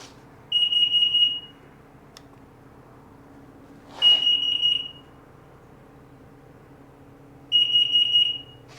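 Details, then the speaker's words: 2003 Sea-Doo RXDI after starter replacement and MAP sensor swap: warbling high beep bursts about every 3.5 s over faint hum, stored atmospheric pressure sensor out-of-range fault; dirty connectors suspected, problem seemed gone after retest. "Any current faults? Atmospheric pressure sensor out of range occurred. Kind of acting a little bit too like uh some dirty connectors."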